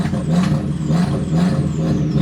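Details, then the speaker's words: 2000 Audi TT that sat about 7 years, first start after an oil change and charged batteries. Held on the gas, it surges up and down about twice a second, cannot idle on its own, and stalls. Bad old gas is suspected. "Alright. I don't know if she's gonna idle by herself right now, so I'm just gonna stay on the gas a little bit."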